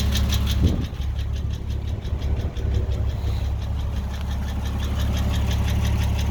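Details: Porsche 986 Boxster 2.7 at uneven idle: recently developed light quick ticking close to three per second over engine note; source unconfirmed.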